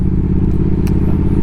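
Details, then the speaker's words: Triumph Speed Twin 1200 with Brembo brakes, after a cheap anti-squeal fix, stopping at a stop while cold: engine idles with a low steady rumble and the brakes make no squeal. "alors là à froid en tout cas ça grince par donc c'est bien"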